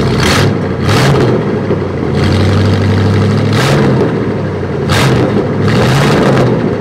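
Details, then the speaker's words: Abandoned 1968 Buick LeSabre V8, run up to around 190°: deep, smooth rumble with clean throttle blips rising and settling evenly; sounds healthy. "this is rehab for the Buick let me tell you it's sounded pretty damn good this is all Buick power I like it I like the way she sounds"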